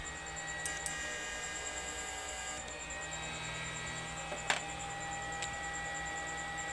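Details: Repaired 1000 W inverter (6 MOSFETs, 3 A), tested under load with lamp: steady even transformer hum with faint high whine, no wavering; running normally after repair.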